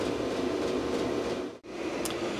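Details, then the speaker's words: Small Vevor diesel heater after about 30–40 minutes running in a cold workshop, room now around 12°: even, steady blower whoosh with no surging or rattles; running normally. "all right so this thing has been running for about half an hour maybe a little more 40 minutes or something like that and it's already done quite a bit to the temperature in here"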